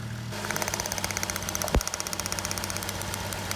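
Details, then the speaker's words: 1JZ engine in a drift FC RX7 that keeps limping, running with a coil checked for arcing: sharp, regular ticking snaps over a rough idle as the spark jumps through the coil's paint; two of three coils and two plug wires bad. "That's jumping through the paint right now."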